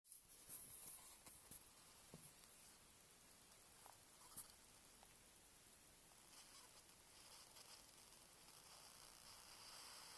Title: Xps 13 9350 strange noises from inside of a laptop